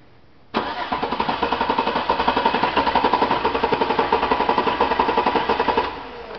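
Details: Chevy 5.3 V8 cranking during an amp-probe relative compression test with the number 3 spark plug removed: steady starter cranking about two beats a second, slightly uneven rhythm as one cylinder eases off; low compression on one cylinder.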